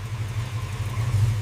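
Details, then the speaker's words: 1963 Chevrolet Corvette Sting Ray V8 during a total overhaul, first start after cooling and electrics reconnected: deep, steady low rumble with an even beat, nothing ticking or knocking; normal idle. "That sound never gets old."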